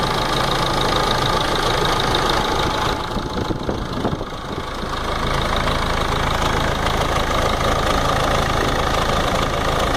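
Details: Ford Ranger 3.0 NGD diesel at idle: steady, fairly regular knock about four per second over the clatter, coming from the timing case area; timing case noise.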